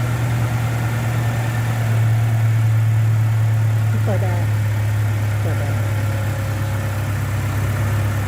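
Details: Toyota Vigo idling steadily after a no-start in the morning, fixed by adding fuel and refilling an empty radiator; even low idle hum with no stumbles, knocks or hunting, temperature normal, engine running fine.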